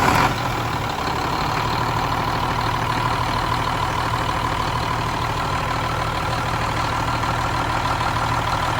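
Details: Cummins M11 diesel semi truck after new fuel lines, fuel system primed and bled: short crank catches right away, steady even idle, no misfire; starts no problem, no more air bubbles.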